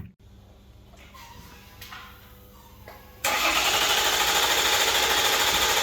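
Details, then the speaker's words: Quiet cranking, then the replacement diesel engine in a Jeep Grand Cherokee WK2 catches and settles into a steady even idle, no knocks or misses; first test run after engine swap, no dash codes. "And that's our test run. Now look at the dash. No codes at all. Easy done."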